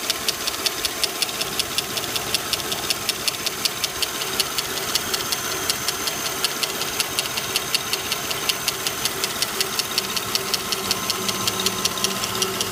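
Sharp, light ticking, just under two per second, very steady over a smooth idle; a valvetrain tick, though the exact source isn't pinned down. Cause suspected, not confirmed.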